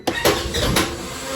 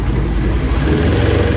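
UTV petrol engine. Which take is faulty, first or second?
first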